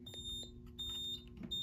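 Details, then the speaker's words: Edwards fire alarm panel repeats a high trouble beep about every 0.7 seconds because a System Sensor smoke detector on Zone 3 (4.7k ohm monitored) is off its base; needs tone silence after reattaching. "usually the beeping stops but on a panel like this you have to hit tone silence and it takes it off"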